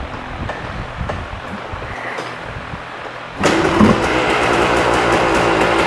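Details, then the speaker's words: 1986 Yamaha Tri-Z 250 two-stroke, cold start on choke after priming: fires on one kick and settles into a steady crackling run; a clean, healthy start. "One kick, she fires right off. That's the way she should be. Right now, we're still on choke."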